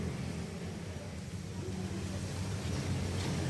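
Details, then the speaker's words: Toyota Corolla Altis single main radiator fan motor, which also cools the AC condenser, running with the AC on: a loud jet-like, steady low drone with a rough, uneven throb from the fan motor; a seized fan risks overheating. "Waduh, kayak mesin jet nih. Suaranya kencang banget. Nah teman-teman, jadi ini permasalahannya sudah bisa saya tangkap ya."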